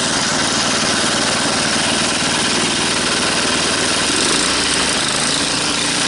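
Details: Tecumseh small engine pulled from the scrap heap and restored to working condition, revved back up: loud, steady high-revving buzz at an even pace without misfires, surging or rattles; running healthy.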